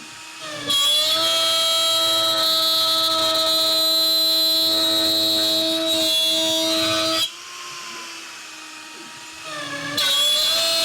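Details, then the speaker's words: Shapeoko Pro CNC router pushed past recommended feeds, speeds and depth of cut in wood: the bit gives a high, steady screech that gets louder and louder as the machine struggles under heavy cutting load, with risk of burning the wood. "The one thing you can hear is the screeching gets louder and louder, which means it's really starting to struggle. And if you go too fast or too much, you could burn the wood."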